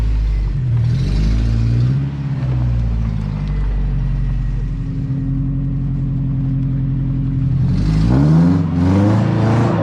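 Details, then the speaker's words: Lowered 1987 Toyota pickup SR5 with headers, driving with its newly installed exhaust: deep, even drone rising and falling smoothly with throttle, no rattles or popping; healthy. "ah i've ordered that for so long you have no idea we're gonna get in so much trouble oh my god that thing sounds amazing oh i love this exhaust"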